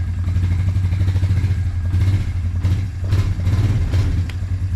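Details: Suzuki Quadrunner 250 ATV after sitting about 7 years, restarted warm after running to operating temperature, no choke: single-cylinder thumps in a quick, even beat and settles without stumbling; normal warm idle.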